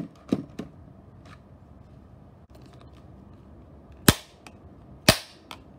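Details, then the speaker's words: Electronics overvoltaged on a variac: quiet hiss, then two sharp loud bangs about a second apart with smaller cracks around them as a component bursts. "oh that was a strong one"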